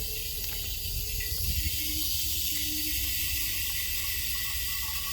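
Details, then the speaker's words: Refilling an empty 1 lb propane bottle from a larger tank through a refill adapter, after purging air: steady, even hiss of gas rushing without letting up; normal propane flow while the bottle fills. "that's what you want to hear right there make sure i got y'all lined back up right all right now once you don't hear that anymore turn the valve off take the tank off"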